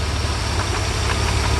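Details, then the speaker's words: 1991 Mercedes 300E, ~180k miles, even compression, idling: uneven shaking beat with irregular knocks, misfire; injectors 1 and 6 swapped, an injector likely stuck, blown out with air and now spraying. "Now the engine shakes. See, the fuel comes out, but it didn't come out at all because injector was stuck, I think."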